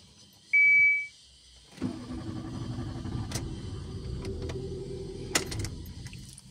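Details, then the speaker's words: Nissan March K12 hard to start: short chime then several seconds of steady starter cranking without clean firing; diagnosis found fuel pump giving only 1 bar instead of 3.5 bar at injectors; fixed by replacing fuel pump; hard start from low fuel pressure. "Նիսան Մարչի խնդիրը հետևյալն է, որ այն խոտ չի ընկնում, շարչը գործի չի ընկնում կամ ընկնում է շատ մեծ դժվարությամբ մի քանի անգամ ստարտեր տալուց"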